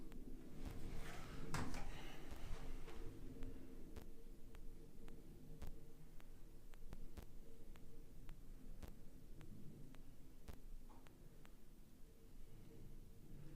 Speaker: forth my fast and you can hear that that top hinge is no longer squeaking